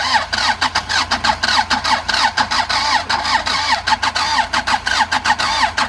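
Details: Andoria 4CT90: starter churns with rhythmic compression pulses about three per second and a faint squeal, but the engine never fires; cranks, won't start, with only a little pressure observed.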